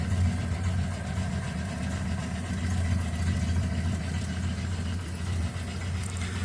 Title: Fixed the exhaust leak for now also found the intake manifold was cracked so fixed that too